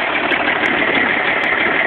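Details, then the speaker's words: Mark 8 car engine at a steady idle with a dull, even hum and no clear knock or tick; the owner feels it isn't doing well. Something sounds off, but the cause cannot be pinned down. "guys here it is a video that I don't think anybody wants to see I definitely don't want to see but I don't think the Mark 8 is uh it's doing so hot"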